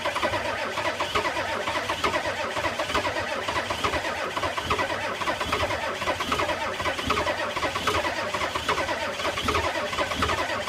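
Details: 1985 Ford F250 6.9 IDI naturally aspirated diesel at -34 in extreme cold: steady labouring crank for about ten seconds that never catches or picks up speed; crank no start.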